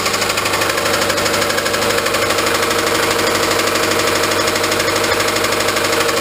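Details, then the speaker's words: Honda Civic at idle: steady, regular deep knock about three a second through the idle, taken as rod knock, possibly a worn rod bearing; a new engine is being looked into. "yeah so you guys can all just obviously hear that rod knocking in there so we're gonna look into a new engine just right now"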